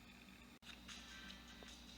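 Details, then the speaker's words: Distorted speaker audio from the built-in speakers of a 1998 Dell Latitude CPi D300XT laptop: thin, tinny playback with harsh fizzy edge and little bass. "These speakers sound terrible."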